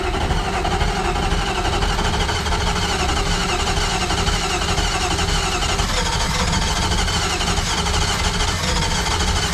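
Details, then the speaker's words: Drift car engine (compression test low on cylinders 3 and 4) cranking: uneven, stumbling sputter that never catches into steady idle; only the low-compression cylinders 3 and 4 appear to be firing. Cause suspected, not confirmed. "all right so the weirdest stuff's going on so you could hear it sputter a bit there so this was the cylinder that read low on the compression and so was this one"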